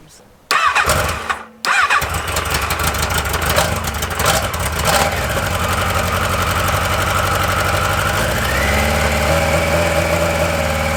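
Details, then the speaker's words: XGR on its first ride, cold start on choke, ignition checked OK with the owner still testing injection richness. It catches, then runs a lumpy stumbling rhythm like one cylinder missing. Misfire cause unconfirmed. "vraiment chelou ce bruit he arrêtons le massacre"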